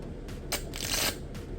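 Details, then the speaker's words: Marshall Woburn/Stanmore speaker, battery-less unit: sharp bursts of harsh crackling and popping right after switch-on, quickly shut off; suspected electrical short in the circuit, not confirmed. "คือเปิดปุ๊บไม่มีเสียงช็อตๆตึ๊ดๆๆเรีบปิดนะครับกลัวผมตอนแรกผมเปิดมาผมก็ตกใจอยู่"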